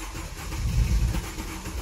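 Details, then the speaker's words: Mercedes-Benz R-Class R250 petrol that cranks but won't start: steady starter churn that never catches, no fuel pump sound heard at key-on; fuel pump not running, power supply to pump being checked. "شوف طرمبه البنزين شو قصتها اذا عم تطلع كهرباء ولا لا لانه عاده هون الواد بيسمع صوت الطرمبه ما في صوت طرنبه"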